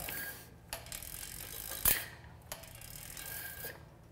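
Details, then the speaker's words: Bicycle rim brake after toeing in the pads, front edge striking first: soft freehub ratcheting and light clicks while braking, no squeal. "now that's music to my [Applause] [Music] ears"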